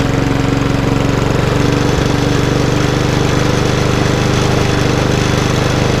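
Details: Lawnmower with RV150 engine and Briggs air box, first start after reassembly and carb bolts tightened: small engine runs steady and even at constant speed, no misses, knocks or hunting; sounds healthy.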